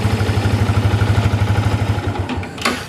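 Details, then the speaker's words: Yamaha New Vixion Lightning single-cylinder after a slipper clutch was fitted, clutch lever pulled in: smooth regular idle, about three pulses a second, deep even thump with no knocks or rattles and no change with the clutch pulled; normal idle. "Kalau saya tekan kopling, tidak ada perbedaan, suaranya tetap halus."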